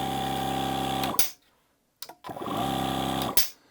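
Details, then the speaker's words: Milwaukee M18 cordless air compressor on a fully charged large battery: relay clicks, then after a slight lag the motor spins up to a steady, even hum, stops and restarts cleanly; pretty quiet, running normally. "So you can hear the relay in there click on, and then the motor turns on. So it looks like there's a little bit of a lag there."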